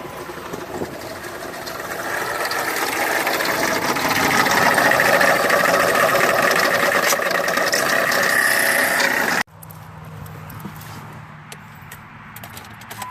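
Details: Engine running with a steady high whine over the idle, then it cuts off abruptly; bad alternator noise, before replacement with a new alternator.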